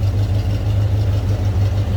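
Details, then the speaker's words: 1972 Pontiac Ventura Nova tribute, 350 V8, TH350 automatic, exhaust cutouts closed, heard at the back: deep even rumble, steady beat, nothing over the top, no skips or rattles; normal idle. "cutouts are closed you get a nice Rumble out of that 350 nothing over the top nothing crazy"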